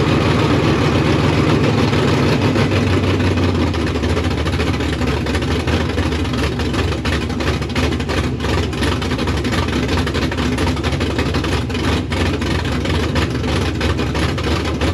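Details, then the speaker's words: K5 Blazer/Jimmy V8 on new Holley Terminator X EFI, running with no exhaust: loud, even, deep idle with a hard bark and no misses or knocks; smoke is attributed to rings still seating. Healthy engine running without exhaust. "it cracks off I'm super excited and it sounds awesome it doesn't need exhaust cuz it sounds like a jet airplane in my driveway here"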